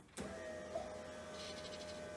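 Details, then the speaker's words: Honda-engined Lotus Elise, mic placed close to the standard fuel pump: sudden start then steady even electric hum with faint level whine as both newly wired fuel pumps prime normally. "there Rico price for both our pumps were running the engine cranks over and all I need is a spark"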